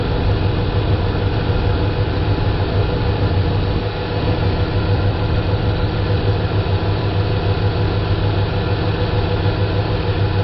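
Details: Dodge Ram 5.7L Hemi V8 (2003 stated, 2010 1500 in description), couple hundred thousand miles, just after replacing a leaking power steering pump, idling while wheel turned lock to lock: steady, even idle, no pump whine or groan; normal pump.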